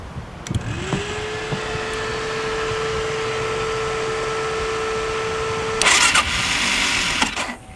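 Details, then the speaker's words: Gas Gas Wild HP sport quad, long unused, leaking oil, no chain or shifter: starter spins with a steady whine for several seconds without catching, ending in a rough clatter; starter clutch suspected, not confirmed. "That sounds like starter clutch."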